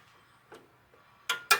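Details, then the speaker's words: Whirlpool dryer timer, taken apart over a no-heat fault with a burning smell: two sharp, distinct clicks close together as the knob reaches off, crisp in a quiet room. The timer detent is working normally. "Off. You hear that click sound? That's off."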